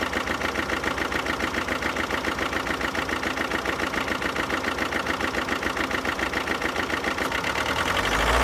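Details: Alfa Romeo Giulietta II 2011, 1.6 diesel 940A3000, 105 hp, 312,000 km: uneven lumpy idle about three and a half pulses a second with one weak firing each cycle; one cylinder has no compression from possible valve, piston or head gasket fault.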